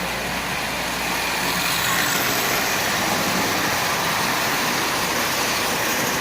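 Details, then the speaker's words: Marx 1938 Commodore Vanderbilt toy train pulling its cars: one continuous even rumble and hiss with no separate noises from any car, showing a consist running well; normal running. "when you have a consistent running well it produces one continuous noise there's no individual noises coming"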